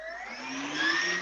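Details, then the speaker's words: Hobby King Galloping Ghost park flier electric motor spinning up after the prop was balanced with three weight placements. A clean whir climbs smoothly in pitch with no wobble or buzz, so the prop runs balanced. "because I went through and spent all that time balancing it and got it right took three different placements of weights to get right but it is perfect now and it should should sound Perfect all throughout the range"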